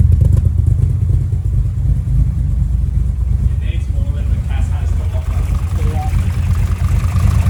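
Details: Nissan S13 Silvia after fuel pumps were done: a deep, steady low rumble with even firing and no knocks or misses. The engine settles into a normal, smooth idle.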